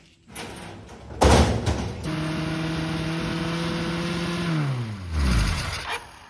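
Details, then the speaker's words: 1980 Kawasaki KZ1000G (Z1 Classic) during idle troubleshooting: engine jumps to and holds a high rev instead of idling, then drops; owner found the throttle cable had got stuck on something. "that's not good not sure what's going on with that i must have found the cable somehow i think the cable got stuck on this thing here"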